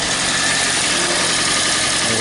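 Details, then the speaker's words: 2012 Toyota Prius C (Aqua) hybrid, code P0560 no-ready-mode fault fixed by replacing a missing fuse; engine runs with a steady, even hum and constant bright hiss, no knocks or misses, running normally. "okay so I got the vehicle up and running I mean it can be that simple as replacing the fuse"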